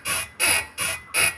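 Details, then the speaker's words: Toyota Innova Crysta creaking over humps and when steering, heard from under the car at the lower arm, not the upper arm: sharp high creaks about three per second as the body is rocked; worn lower ball joint. "അതായത് ഇതിന്റെ lower ആമിന്റെ ഭാഗത്തുനിന്നാണ് ആ sound കേൾക്കുന്നത് upper ആമിന്റെ അവിടുന്ന് ഒരു sound പ്രത്യേകിച്ച് കേൾക്കുന്നില്ല"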